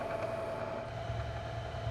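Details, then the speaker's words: Milling machine in high range, spindle motor running smoothly; steady even mid-pitched hum with no knocks or grinding as speed is adjusted faster and slower while running. "Do need to make an adjustment to the speed. You can do it while it's running by adjusting this. Hear the motor run up a little faster, a little slower."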